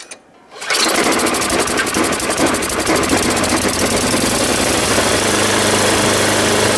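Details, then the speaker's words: Ariens 824 snow blower, Tecumseh HMSK80 engine, after cleaning the carburetor jets and fitting a new float bowl, O-ring and bowl gasket (suspected air leak at the old gasket): catches and settles into a steady, even low idle with no surging. "And now it doesn't surge anymore. I don't have to run it high, and I can idle it at a low speed now without it conking out."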